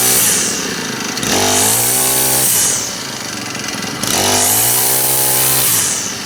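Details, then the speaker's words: Honda GX25 four-stroke trimmer after full service, run outside on straight gas, warming up; crisp single-cylinder revs up cleanly twice from idle and drops back smoothly, no bogging or misfire, normal running. "Oh, didn't put any throttle on. Likes it warm up though. Seems to run pretty good."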